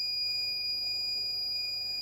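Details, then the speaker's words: Dead Asus TUF FX506L laptop, short killer injecting 1.4 V into the shorted main power rail: steady unbroken high tone, too low to heat the short; short from a bad MOSFET. "Okay, it seems like 1.4 4 volts is too small cuz you can hear the short wants to bend but it's not bending same time."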